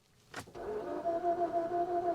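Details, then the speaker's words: Infiniti G37S V6 manual at a salvage auction: click, then starter spins with steady whir and slow even pulsing but never fires, though the fuel pump is heard priming; crank no start. "She doesn't sound like she's trying to start at all."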